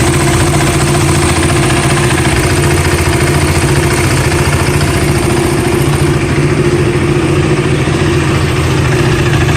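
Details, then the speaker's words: KTM Duke single-cylinder motorcycle idling after the service centre replaced the worn intake camshaft and rocker arm that had caused a ticking noise: steady low even thump, faint mechanical chatter, problem about 90% resolved; harshness partly from mic sensitivity. "so now I will turn on the engine and I will show you that the problem is 90% resolved and there is significant increase in my pickup and performance"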